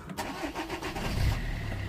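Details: 2008 Vauxhall Corsa 1.3 CDTi (Z13DTH) diesel restarted after its intermittent no-start (no codes) was fixed without parts: a quick starter whirr, then it catches at once and settles into an even idle clatter. A normal start.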